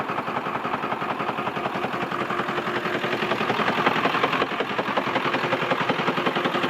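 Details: 2002 Ford F-450 7.3 Powerstroke diesel at idle: sharp, even clatter near 160 a minute over a steady idle; owner suspects a bad injector, not confirmed.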